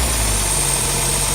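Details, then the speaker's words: 1971 Mercedes-Benz 280SL during pre-purchase inspection, engine still cold, light revs only: smooth, even note with no knocks or misses; a little smoke but no blow-by felt; normal running, cold engine. "I'm not gonna rev it too high because the engine's still cold, so I don't want to put any added stress on it."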